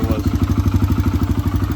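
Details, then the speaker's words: 2009 Kawasaki KLX140 dirt bike, sat about two years, old fuel drained, spark plug cap reconnected; just fired up: quick even single-cylinder pops, roughly ten a second, no misses or clatter; runs pretty good, normal running. "it sounds like it runs pretty good though I just got to clean it up now"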